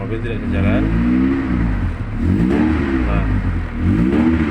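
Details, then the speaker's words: Honda Accord Cielo automatic selected in D, D3 and D2 with the brake released: the engine revs and falls back three times with no pull-down and the car won't move; transmission not engaging drive, cause suspected, not confirmed. "nah ini untuk model gas dan pedal rem tidak kita injak tapi mobil tidak bisa jalan ini"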